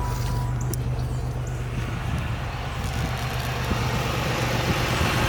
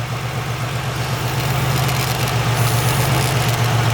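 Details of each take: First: 1996 Pontiac Grand Prix SE 3100 V6 at steady even idle after replacing a locked-up AC compressor, new belt and battery; light quick ticking from a clicking PCV valve and a small exhaust leak at the back of the engine; otherwise sounds healthy. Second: 1996 Pontiac Grand Prix SE 3100 V6 idling after an AC compressor replacement with a new belt and battery. Steady idle with light, quick clicking, about four a second, from the PCV valve, plus a small exhaust leak at the back of the engine.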